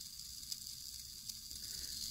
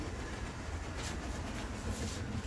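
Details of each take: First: Bachmann HO-scale PCC trolley rail bus, the fourth motor, after cleanup, running at high speed: a thin, steady, high-pitched sizzle and buzz from the tiny motor; these motors seem inherently noisy, though the cause is not confirmed. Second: Bachmann HO scale PCC trolley rail buses bought used, motors cleaned (one fried motor dealt with): steady low whirr from small electric motors, settling smoother and quieter once up to speed, running fine.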